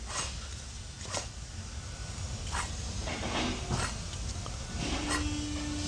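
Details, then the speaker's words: Chrysler PT Cruiser, worn press-fit wheel hub bearing being turned: rough, gritty rumble with uneven scraping bursts, the cause of the rumbling noise heard while driving; fix is pressing in a new hub bearing. "That is what's making that ruining noise while you're driving. Okay. Now, we're going to fix that."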